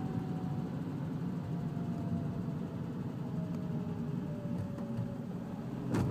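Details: Dacia Sandero 1.4 LPG: a faint thin whine appears around 1500 rpm during deceleration and slowly drops in pitch as revs fall over a quiet engine. The cause is unclear.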